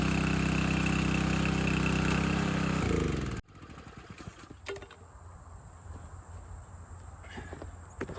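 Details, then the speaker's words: Landworks 20-ton log splitter, engine running under load splitting a heavier log, at least twice the weight of the first dry one, possibly wetter or hardwood; even drone dips slightly in pitch as it takes the load, then goes quiet; normal running under load. "All right, that split really well. That log was at least twice the weight of the other one."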